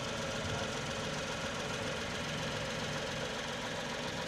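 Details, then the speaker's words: Tata Tiago petrol engine at idle after ECM repair cured misfire: steady, even idle with no hunting or missing; normal smooth idle. "इस SIM repair करने के बाद आप देख सकते हैं की इंजन कितना ज्यादा एकदम स्मूथ हो गया जो आइडल कंडीशन राहत है एकदम ना कोई हंटिंग नाम मिसिंग है"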